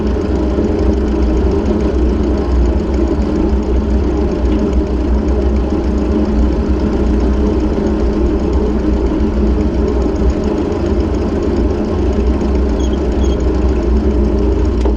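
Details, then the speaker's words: Ford 600-series (640) tractor, abandoned a decade, after new intake/exhaust manifold and vertical exhaust installed: even, steady idle with deep unbroken exhaust beat and no knocks; running healthy. "well now ain't that a Sweet Sound I'm so glad to hear that that is absolutely lovely"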